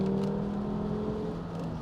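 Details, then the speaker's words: Volvo V70, $800 car with newly installed replacement engine, manual transmission, stock airbox refitted, first test drive: steady even engine drone under load, no stumbles or misses; engine pulls smoothly and sounds healthy, normal acceleration. "that is too fun it's definitely not fast but it's quick to the point where like when you get on a back road or something or you just want to have a little bit of fun with that manual transmission it's super engaging"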